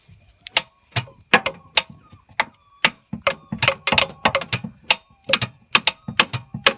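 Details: Holden VT Commodore: starter clicks sharply and unevenly about twice a second without cranking the engine while the starter is struck with a hammer; bad starter motor suspected.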